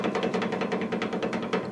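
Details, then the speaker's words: Land Rover Defender 110 (Ghana truck, 1997 exhaust), driveshaft worked by hand: sharp, evenly spaced dry clicks, roughly five a second, from play in a worn universal joint; the diff is thought not to be at fault. "it's trying to send a message home. That's no good. I don't think it's the diff."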